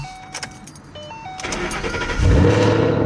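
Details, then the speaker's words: Supercharged 2013 Mustang GT, cold start after a month of work, hood closed: brief crank, then it catches cleanly into a steady, fairly quiet high idle. Starts right up, healthy, with a totally different startup than before. "oh yeah she started right up right there"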